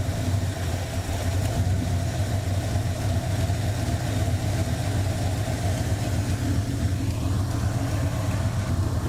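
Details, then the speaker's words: 1984 Ford Mustang GT350 20th Anniversary V8 at a steady, deep idle with an even beat, no knocks, and a small exhaust leak hissing underneath; a suspected lifter noise (new lifters fitted) proved to be exhaust. Normal idle. "oh never mind it's exhaust yeah cheers everything seems to be okay [Music]"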